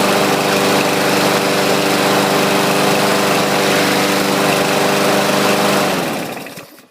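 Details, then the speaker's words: 2014 Murray 22-inch push mower after coil reset, carburetor cleaning, recoil replacement and choke fix, warmed up about 15 minutes, oil level correct; crisp, even single-cylinder buzz at steady speed, then clean shutdown; running properly. "i had let it run here just a few minutes ago for about 15 minutes just to make sure everything was up to snuff oil level is correct so i'll show you what it sounds like"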